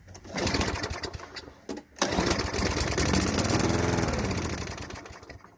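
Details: Craftsman push mower, Tecumseh 5.5 engine after sitting 10 years, plugged bowl-nut main jet, leaking bowl gasket. On starter fluid it catches and revs unevenly a few seconds, then fades. Fuel starvation from the plugged jet.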